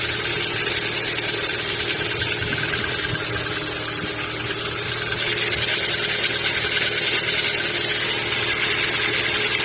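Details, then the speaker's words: Kia Ceed 1.6 cold start: fast light ticking about three per second at cold idle that disappears once warm; owner suspects valves or lifters, unconfirmed. "На холодной кипятке как нагреется, так и пропадает. Кажется, как будто как клапана или такие потенки."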